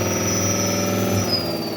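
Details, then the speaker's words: Electric motor on a temporary test controller (Votol EM-150 pending), speed selector at speed 2: steady high whine sliding slightly lower over even hum, no grinding or knocking, possibly hitting the floor harder; motor fine, selector working. "Sounds like it might be hitting the floor a little harder there. So the speed selector is working."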